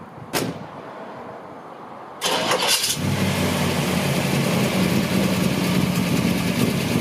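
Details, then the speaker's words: 1958 Chevy Delray with a 283 V8 and Turbo 350 automatic: short crank, then catches and settles into a steady, even idle with no misses or knocks; sounds healthy. "You get to hear it run, it sounds great."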